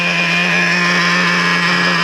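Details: Traxxas Revo 3.3 nitro RC on break-in fourth tank, reading about 247: clean steady buzzing idle holding one pitch, no surging or stumbling; normal idle.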